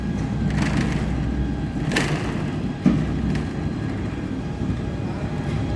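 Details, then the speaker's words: EOT crane motor after replacing all bearings: even low rumble with only a couple of light clicks, no grinding or whine; runs smoothly with no noise, normal. "ನೋಡಿ ಸ್ನೇಹಿತರೆ ಎಲ್ಲಾ bearing replace ಮಾಡಿದೀವಿ ಇವಾಗ ಒಟ್ಟು noise ಇಲ್ಲ"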